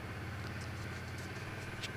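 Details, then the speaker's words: Cold motorcycle, about minus 12 °C in the garage, with a history of hard starting and cutting out while riding: it has just started and idles evenly and steadily with a low rumble, no misses or knocks, left to warm up. "all right we'll leave this thing warm up for about uh 10 minutes and i'll come back and uh then i'll turn yeah so we'll leave this thing warm up for about 10 minutes then i'll come back in a couple hours and see if it starts"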